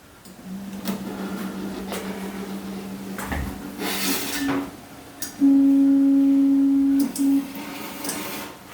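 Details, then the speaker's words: ArcDroid plasma cutter with Plus controller after installing the Plus power upgrade board for brownout issues, homing without cutting: steady stepper hum at two pitches, each axis starting and stopping cleanly, no grinding or stalling; healthy. "Now, obviously I'm not going to cut anything, but let's home it."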